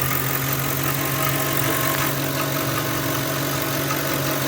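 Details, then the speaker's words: Ford 4.6/5.4 V8 idle: faint loose tick under the drone, first suspected as timing chain, tensioners or guides; pressure with a pry bar on the belt tensioner stops it; failing belt tensioner. "I thought it was the timing chain or the tensioners or the guides turned out look it'll stop watch check this out you'll put a pry bar here and don't worry look it stops put some pressure on it and voila noise is gone"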